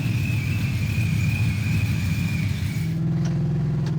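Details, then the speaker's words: Supercharged Cobra Mustang on a test drive: deep road rumble with low, uneven knocking from the rear, long-standing clunk traced to loose roll cage bars in the back, not a drivetrain fault. "Oh, okay. That's gotta be the roll cage. It's been doing this forever, and there's a bunch of roll cage in the back."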